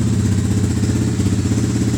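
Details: Atomik 250 Pro X bike finally running after two weeks of work, in light rain: quick, even low thump at steady idle, no misses; idling smoothly.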